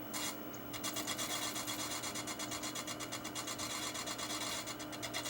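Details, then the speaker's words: Old Sony CDP-S27 CD player: rapid rasping scrape pulsing about three times a second when the edge of the spinning disc is touched, from a felt wobble with jitter. Spindle suspected; the pickup was judged bad. "I'd say there's a fair bit of jitter, but that again could be the spindle itself, because I can feel this like almost a wobble. You can even hear it. I touch the edge of the disc."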